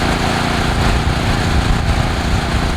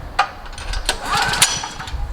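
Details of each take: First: Generac generator (36.8 hours) finally starting after about 25 recoil pulls on choke: a rough, uneven roar, then a steady, even hum at one speed, running fine once started. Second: Generac GP 5500 portable generator, several years old, sat for months, hard to start despite fresh 89 octane with Stabil 360 and new spark plug, recoil start on choke; repeated rope pulls turn it over without firing; restarts fine when warm.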